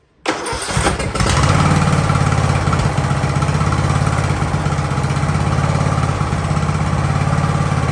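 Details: Ariens riding mower, sat at least two years, jump-started at about 30 degrees outside: engine catches after a brief crank and settles into a steady, even idle with no knocks or misses while warming up; normal cold idle.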